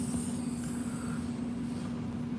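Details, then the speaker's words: Truck trailer tire inflation system set to 100 PSI, airline disconnected: a steady low hiss under a faint constant tone with no let-up, air leaking from the uncapped inflation line. "Remember I told you I turned it off so it won't make a noise. Do you hear that air hissing sound?"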